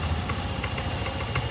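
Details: Honda Beat K25 scooter in a case about a burned ECM: a short, smooth, even idle of about three soft pulses a second with no misses or rattles; the engine runs normally.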